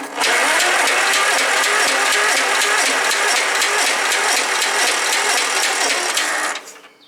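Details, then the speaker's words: Old Ditch Witch H12 trencher, sat for years, weak battery on charger, air filter off, starting fluid sprayed in: steady starter churn at about four compressions a second for six seconds, never catches; cranks but will not start. "Nothing yet."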